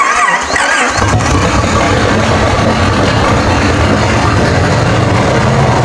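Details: 1946 Plymouth P15 six after full engine rebuild with new pistons, rods, rings and bearings, first start: catches after a brief crank and settles into a steady, even run with no knock or miss; running fine.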